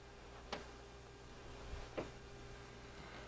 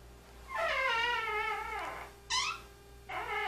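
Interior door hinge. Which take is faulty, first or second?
second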